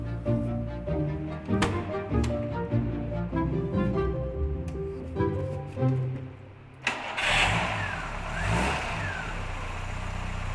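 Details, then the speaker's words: 1987 Ford Capri Laser, first start after 30 years in a barn and a four-month restoration, carburetor just refitted and adjusted: engine catches and revs up cleanly, smooth and even with no knocks or misses; healthy, like new. "well it couldn't be any better really could it it's like a new one after 30 years in a barn and four month restoration our Capri finally comes back to life that sounds like a really nice engine Capri yeah yeah really sweet"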